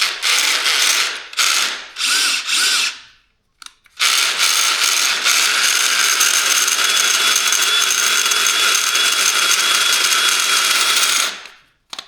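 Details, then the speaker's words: DeWalt cordless drill after reassembly with left-hand thread screw: short bursts then a sustained harsh rasping ratchet over the motor whine; the gearbox is grinding badly. "Wow, that sounds horrible."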